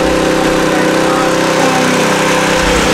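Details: Nearly new Honda WB20XT water pump with GX120 engine that would not start, after carburetor cleaning: constant, even buzz with no stumbles or surging. Normal running after repair.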